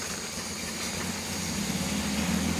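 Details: Austin Healey engine, warm, just started after a little choke, oil pressure up to 50, after OEM oil filter fitting: steady, even idle with a smooth low hum and no knocks or ticks; healthy running.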